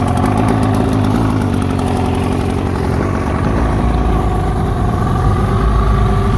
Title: 1972 Mercury 402 40HP rough idle